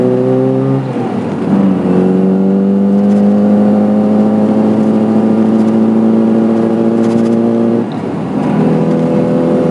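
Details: 1989 Mini with 1984 Metro 1275 engine, electronic distributor install: revs up with steady climbing drone, then pull drops out and stumbles before recovering; hesitation under throttle, fuel starvation or lean mixture suspected, not confirmed.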